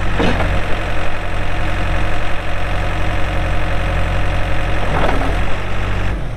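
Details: 2007 Case 580M Series 2 backhoe, 4WD, Extendahoe, pre-emissions diesel, 3,812 hours: steady, deep diesel drone with even beat, no knocks or rattles; starts and runs good, hydraulics strong, normal healthy running.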